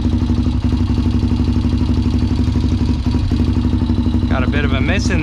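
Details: Honda 400EX ATV that sat for years and was ridden hard, being worked on (carburetor and fuel petcock bought): single-cylinder putter at about four beats a second with occasional stumbles where a beat drops out; misfire at idle.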